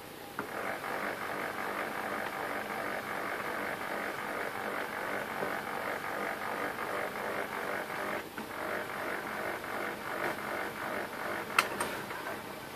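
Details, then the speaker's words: HP LaserJet P1102 laser printer after repair of a loud grinding noise by replacing the belt gear and greasing the gear box, toner cartridge installed and powered on: smooth even mechanical whir, no grinding or clicking; normal operation. "Toner cartridge installed and printer is turned on. You can hear there is no noise this time."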